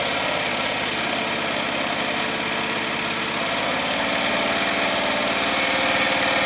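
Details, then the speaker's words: Murray Select lawn tractor after an engine swap and muffler weld repair, at lowest throttle: a smooth, steady putter with an even beat and no hesitation or surging; normal idle. "muffler sounds good engine sounds good doesn't hesitate or surge at all"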